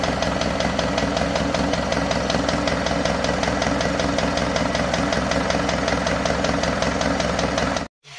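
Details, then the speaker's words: Isuzu Panther 2.5 diesel after overhaul and turbo/intercooler upgrade, warmed idle: steady light ticking two-three per second; valves serviced, valve bushings and loose worn valve clips replaced, earlier limping rough sound traced to loose clips. "udah kita servis ya Lur untuk klepnya dan bushing klep juga klipnya udah kita ganti kemarin yang suaranya agak pincang dan kasar itu ternyata klipnya kocak"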